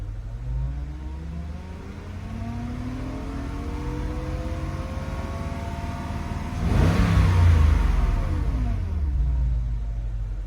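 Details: Porsche Cayenne Turbo 958, recorded inside the cabin: a turbine-like whine climbs in pitch as the engine revs, then drops away; owner wonders about a pulley, bearing or timing chain, cause unknown.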